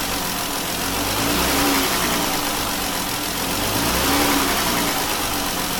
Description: Sounds like its knocking when it revs down.